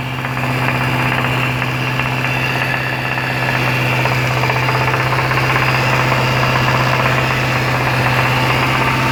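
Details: Jaguar XFR 5.0L V8 at about 2100 rpm gives a hard, fast, rhythmic rod knock; teardown found a worn big-end bearing caused by oil starvation after a dealership service.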